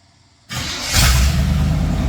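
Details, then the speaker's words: Wide Gauge Bombardier that sat in the back lot awaiting customer pickup, started after waiting for the fuel: engine catches instantly, revs briefly, then settles to a steady even idle; normal start and idle. "there we go starts right up that's what we like to here"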